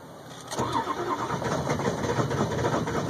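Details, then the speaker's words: 2002 Ford F350 7.3 Powerstroke cold start at about 34°F: starter grinds on unevenly about three turns a second, never catching after almost 8 minutes of trying; chronic hard start, fine once warm, white smoke. "once it gets started and warmed up it's fine but at almost 8 minutes now trying to start this thing something's got to give"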